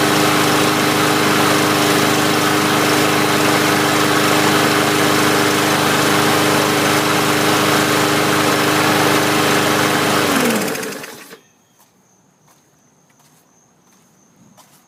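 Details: 2017 MTD push mower with Briggs OHV engine, after degreasing and oiling the recoil: runs steady and even about ten seconds with no misses or knocks, then shut off; healthy.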